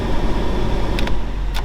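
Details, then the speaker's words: 1997 Jeep Cherokee after blower motor replacement, jump-started, checking all fan speeds: a strong, steady air rush with switch clicks and no rubbing. The new blower works and blows harder than the old one, which had a bad segment and needed tapping. "Alright, had to jump start the old girl, but we got it running. Woo! Got some air blowing now. Make sure it's working on all the speeds."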